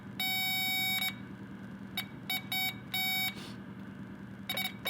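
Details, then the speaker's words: Power Probe 3 tester on a wire: short, sharp high-pitched beeps in uneven bursts, its distinct ground-indication tone signalling the probed wire is grounded, with no voltage reading shown. "So that's ground, power, ground, power. Now obviously you're not going to get a voltage reading on the LCD screen for ground because there's no power, but it's just letting you know that that's a ground."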